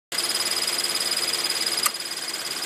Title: My frs with annoying chirping noise!